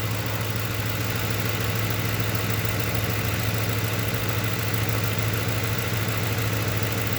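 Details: 2008 Ford Crown Victoria V8 idle with steady low drone and slightly uneven, loping beat; cylinder 1 ignition coil gets no power at connector, suspected short or break in wiring, so that cylinder is dead.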